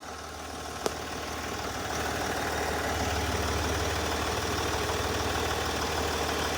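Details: SDV6 diesel at idle: steady running with a fairly even light tick, about four per second, on top; the ticking noise's origin is unknown.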